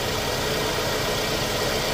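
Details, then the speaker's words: Scion xB after Liqui Moly engine flush, oil change with new oil and Liqui Moly Ceratec anti-friction additive: startup settling into a smooth, even idle with steady hum, no valve ticking or knocking; engine sounds healthy. "all right guys this right here is going to be uh the startup with the liquid Molly um Zyrtec and the new oil in it"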